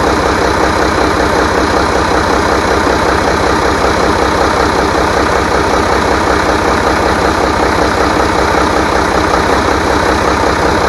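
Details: Rebuilt International DT466 diesel from a loader, previously knocking, first run after priming: even, steady diesel idle with a smooth regular beat and no knock or rattle; healthy.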